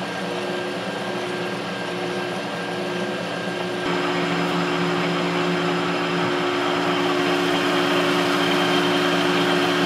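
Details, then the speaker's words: Adcock Shipley horizontal mill on its first run after an oil change (old oil full of metal and sludge), gearbox back in low: a steady, even hum with a few clear gear tones that step slightly, no grinding or knocking. Possible motor-bearing roar was noted earlier in high. Normal running. "considering all that's happening it's pretty quiet actually"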